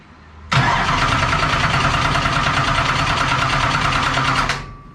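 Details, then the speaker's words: Race car that had been dying on track from fuel problems: starter cranks steadily about three turns a second for four seconds without catching; fuel pump not pumping, line dry though gas is on and fittings tight, fuel-system diagnosis underway. "Huh? Not pumping yet. Dry. Gas is on. I got everything tight."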